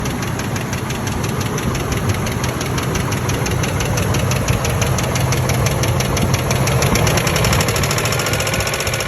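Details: 1997 Ford Expedition 5.4L 2V at steady idle: fast, fairly even light ticking, about three taps a second; started after fuel pump and filter change, P0153 code; owner suspects clogged or leaking injector, not confirmed.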